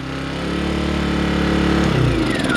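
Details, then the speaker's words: Earthquake IG800W inverter generator, the replacement unit with its vacuum leaks fixed, cold-started with one pull and no choke: it runs at a steady, even speed with no rod knock or rattle, then its pitch drops away. "one pull no choke one pull no choke no rod knock noise as you can hear no rattle"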